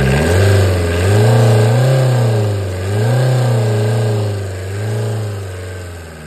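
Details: Tata Indica diesel with poor pickup complaint, EGR (pollution) valve hose removed: revving up and down in slow, lazy swells, never climbing crisply; sluggish response, EGR valve malfunction blamed.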